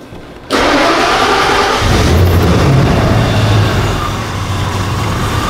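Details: Ford EEC-IV Lincoln Town Car after no-start, no-fuel-pressure diagnosis (blown fuse, pump okay): catches instantly after brief crank, settles into steady even idle without stumbling or misfire; healthy start.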